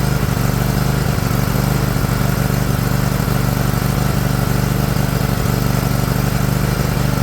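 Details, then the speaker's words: Liquid-cooled Kawasaki twin, John Deere LX178 mower, after fuel filter change: loud, steady but heavy, slightly uneven low idle rumble; carburetor flooding over, overfeeding fuel and leaking onto the muffler. "I think flooding out real bad right slowing it down all right all right it runs the engine's great it's flooding over something terrible actually leaking fuel right out onto the muffler"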